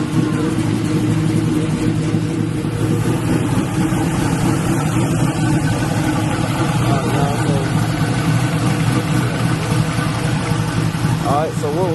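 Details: LS-swapped Black Haven Buick Regal after a thermostat change and coolant refill, leak check: steady, even idle with a couple of clean throttle blips, no knocks or ticks; "sounds pretty good", healthy.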